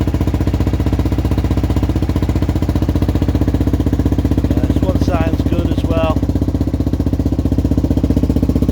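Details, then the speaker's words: Two 1978 Honda XL250 barn-find bikes running together warm, one with loud Supertrapp exhaust; steady even single-cylinder thumps at fast idle, no misses or knocks; both healthy but sound different. "all right that's both of them running both sound totally different"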